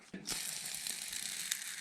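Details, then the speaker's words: Rototiller gearbox ball bearing removed after gear oil leak, cleaned dry with brake cleaner and spun by hand: gritty, rasping grind fading as it slows; oil had masked the noise, bearing faulty. "the fluid will mask some worn bearing sound so you take some brake cleaner clean all the oil out of it and then it sounds like this"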